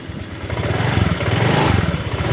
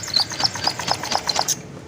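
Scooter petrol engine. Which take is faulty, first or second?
second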